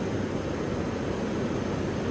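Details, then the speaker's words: Orifice-tube AC system with thermal viscous fan clutch, engine running hot: steady even rushing roar of air, no rubbing or knocking, as the fan clutch engages and low-side pressure drops. "so that's the fan engaging because of the fluid flow just like in a automatic transmission"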